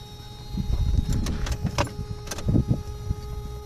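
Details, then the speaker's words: 1990-1997 Mazda Miata with new Deatschwerks 255 lph fuel pump, key-on prime without cranking: steady fairly high electric whine with a few light knocks, said to be quiet like stock; normal fuel pump prime. "You can hear the fuel pump. It's kind of like a high pitched wine."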